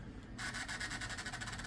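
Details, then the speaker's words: Gateway Solo 2500 laptop CD drive reading a restore CD burned at 24x: harsh rasping grind with fast even flutter, like the head hunting; struggling to read, owner suspects a lower burn speed is needed. "Okay, it's starting to make noises again. I may have to find a really old computer to burn this CD with. One that can burn at a really low speed."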